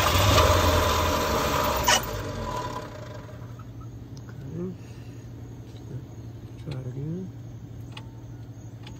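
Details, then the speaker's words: 1963 Lincoln: runs fine in neutral, but when put into drive it runs rough for about two seconds, then sags and fades as it stalls under load; cause unknown. "smooth and neutral or flat, it runs fine, seems like it's running fine, but when I try to drive it, it stalls. And I'm not sure why."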